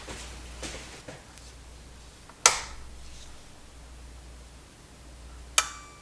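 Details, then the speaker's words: Pioneer SX737 receiver after replacing protection-circuit transistors, finally the 2SA733: single sharp click a couple seconds after power-on, relay clicking in fairly fast; protection relay engaging normally, fixed. "Relay clicks in, and it clicks in fairly fast."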